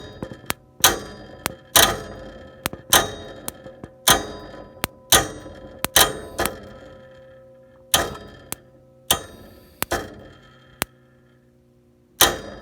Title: Bryant (Day & Night) Gas Heating Furnace (395B) Clicking, Won't Start